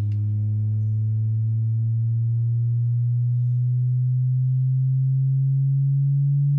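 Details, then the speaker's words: Driver-door speaker in a 2007 Ford F250 Crew Cab 6.0L turbo diesel: a low test tone sweeps upward and sounds buzzy and distorted instead of clean. "let's do this driver door speaker I mean that doesn't sound good right there already"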